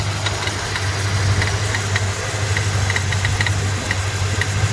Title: 289 rattle noise from fan area on cold start up.